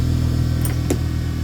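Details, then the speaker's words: Bench grinder powered up after a capacitor was wired in (unfinished installation), switch working: a smooth, steady low hum with no wobble, rub or grinding, so the motor spins evenly and runs normally. "Ah. Look at that. Even the switch works. Okay. Very smooth. Okay."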